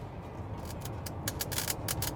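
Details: 2020 Honda Pilot infotainment system with nothing playing, volume adjustable this time: crackly hiss bursts every fraction of a second over a low hum; speaker static from the audio system.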